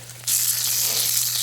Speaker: see it's shoot it's shooting out like faster than it should be look at that I need I might I might cut that off a little bit